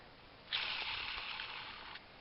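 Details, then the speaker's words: 2003 Ford Focus front passenger axle removed, bearing turned by hand: dry, gritty hiss with faint ticks as it spins down; owner suspects the bearing is a little dry. "like that bearing's a little dry."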